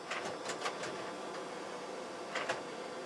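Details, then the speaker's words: NEC CDR-C251 4-disc slot-loading CD-ROM changer (1996) at Windows 98 startup; short bursts of clicking and whirring as it spins up and reads each disc, presumably for volume labels: normal startup disc reading. "it doesn't start up I assume to read the volume information off of each disk so that it's prepared you know to show us the labels of the disk when the system starts up"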